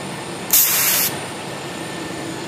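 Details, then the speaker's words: Sharp half-second gas hiss then quiet, as a 1997 GMC Safari van's A/C charging line is vented of air/refrigerant mixture after fitting a new can, system at about 35 PSI while recharging from empty after overhaul. "I've now put on another can and valve up here is closed we want to evacuate this line of the mixture of atmosphere and"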